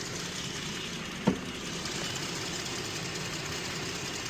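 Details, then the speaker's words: 2018 Jeep Grand Cherokee 3.6L that had codes for a cylinder 5 misfire and injector circuit stuck open/closed, after replacing the fuel injector, spark plug and coil: quiet, steady idle with an even hum, no misfire apart from one brief bump; normal idle. "We did uh fuel injector, spark plug, and a coil. So, she had a little she had a little misfire, but sounds good now."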